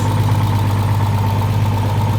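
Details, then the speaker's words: 1950s Ford Popular/Anglia with freshly built RB30DET and BMW 7-speed DCT, gearbox recently removed: steady idle with a thin, constant whine over the engine hum; transmission whine from low fluid and air in the mechatronics. "Why is it making that noise? Low on fluid. What? Just cuz it's low on fluid. It's doing that. No, cuz it's got air in the meatronics."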